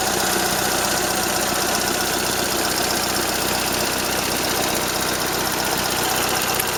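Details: Toyota Corolla Ceros, 4A-FE engine, C50 manual gearbox, at idle: a light, fast metallic tick about three per second. Owner unsure if it is valve tick or gearbox shafts rattling; the exhaust flex pipe also leaks slightly.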